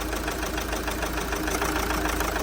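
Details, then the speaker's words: Opel Zafira B 1.9 diesel, 400,000 on engine, won't pull below 2000 rpm, no fault codes; idle turns lumpy and uneven with one injector unplugged during an injector cut-out test, showing that injector works. "Ану давайте спробую ще раз завести дивіться третя форсунка відключена машину завів машина працює можу заглушити"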